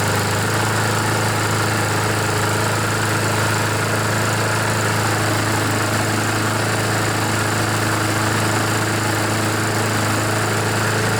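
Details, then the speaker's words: Honda GCV mower engine, choke still needed, smoking from oil in muffler: steady even single-cylinder buzz, no misses or surging; oil burned out in one or two minutes, running normally. "got him all scared wow so you can see it only took a couple of minutes maybe just one minute one or two minutes for all that oil to burn out"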